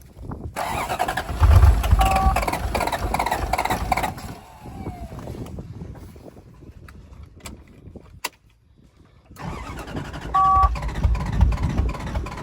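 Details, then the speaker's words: Toyota 1UZ V8 first start after sitting a few years: cranks, catches, runs with uneven lumpy beat, drops away, restarts rough; seemingly on about 5 cylinders, owner suspects injectors blocked by stale fuel. "yeah so it runs it's uh I'm guessing it's running on about 5 cylinders"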